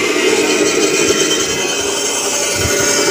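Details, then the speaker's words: Mini bandsaw running with a harsh sound: a raspy whir with an uneven scraping edge, caused by the rear adjustment point being out; fixed by tightening or loosening it with an L-key, after which the sound is normal. "kuncinya suara kasar tadi ada pada sini teman-teman teman-teman bisa mengencangkan atau mengendorkan pada bagian belakang sini"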